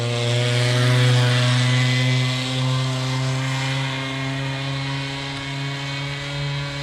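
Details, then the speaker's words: Old Bigfoot GoPed two-stroke after sitting over 4 years, untuned. High, buzzy drone slowly droops in pitch and never picks up cleanly; struggling to run, cause unknown. "yeah you can definitely hear that she's kind of struggling to run to not really struggling but not really running the way she should"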